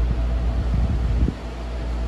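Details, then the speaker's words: Vintage RAKS DF-12TK desk fan, speed one, after lubrication of a previously seized motor and cleaning: smooth steady low hum with even airflow, no rattle or scrape; runs cleanly. "Anyway, here is speed one. I'm pretty sure I didn't pay more than $5 for this thing, but it's a pretty good fan. It's pretty powerful."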